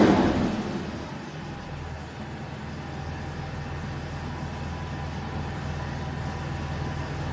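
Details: Mercedes W163 after fixing a misfire on two cylinders: after a brief thump at the start, the engine settles into a smooth, even idle with no stumbles or missed beats; running clean, normal idle.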